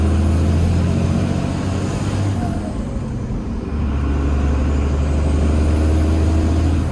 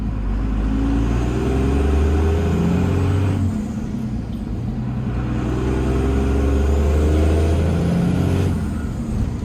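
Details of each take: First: Cummins diesel truck after exhaust brake work: diesel drone with a quick whoosh and falling whistle as the throttle closes, then it settles. A normal turbo blow-off, louder than the faint whistle before. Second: Cummins diesel truck during exhaust-brake work, played as a before/after comparison: revs up and settles twice with a deep exhaust drone. Turbo spool sounds dull and muffled, only a faint rising whistle rather than a full blow-off sound. Cause not confirmed.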